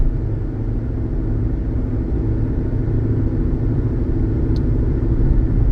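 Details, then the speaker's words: 2016 Hyundai Elantra, 89K miles, highway driving: steady low droning rumble from light wheel bearing noise, mixed with road noise and hard to distinguish; no other suspension noises, drives smooth. "But a lot of times it's not something that anyone would even notice because it's just um you know could also be road noise um or just it's nothing that is overly obnoxious, but it drives well."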